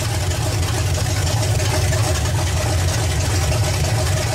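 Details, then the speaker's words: Small block Chevy idling with base ignition timing at about 3–4° BTDC: loud, lumpy, slightly uneven idle; timing to be advanced to about 12° BTDC by turning the distributor. "right now you can see we're running right out about 3 to 4 deg before top dead center we want to change that so we'll run to about 12° before top dead center"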